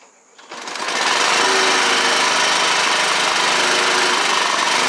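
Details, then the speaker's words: Honda HR215 walk-behind push mower with no-start, reassembled: one pull and it fires straight up into a steady, even buzz with no misses or surging; normal running. "all right guys so everything's back together we're going to give it a pull and see what happens so here we go"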